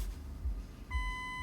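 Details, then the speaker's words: BMW X5 E53, engine running, key on, reverse engaged: a steady high continuous beep after low engine rumble, the parking sensor fault warning; the cause is a corrosion-damaged parking sensor wiring connector, with the rear sensors checked one by one. "immédiatement les capteurs de stationnement vous fait savoir qu'il est défectueux capteur"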